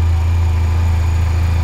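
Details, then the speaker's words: Crashed Honda Silver Wing 600 CVT scooter, stored over a year, with a low battery: a low, smooth, even idle with no knocks or rattles that sounds good. "it sounds good it sounds good"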